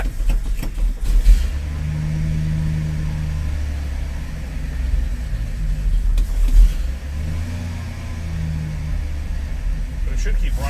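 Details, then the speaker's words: Carbureted Ford F350, started after a new fuel line and 4.5 gallons of fuel: a deep, steady rumble held well above normal idle with a slight surge; the carburetor has a problem and needs rebuilding. "So, let's get it running. Wow, that was a high idle."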